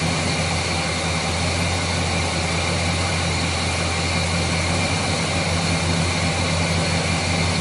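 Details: Chevrolet 350 V8 with a failed valley-side intake manifold gasket, causing oil consumption, hesitation and rough idle. It has a steady, even idle with a smooth low burble and no miss, running healthy during the diagnostic tests.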